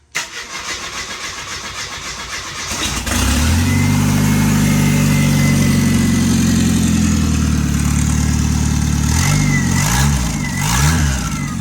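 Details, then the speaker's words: F7 truck on first fire with a turbo manifold made from the old exhaust, bolted on with no gasket and no downpipe, turbo oil feed plugged and turbo filled with oil, on a new fuel pump: it settles into a loud open rumble with a rising turbo whistle on each blip. "well it already makes cool turbo noises there we go sweet"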